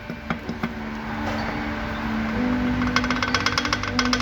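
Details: Chevrolet Celta engine at idle and starter cranking, with sharp metallic knocks about four a second from underneath. Play found; on teardown one bearing was rough and another smooth.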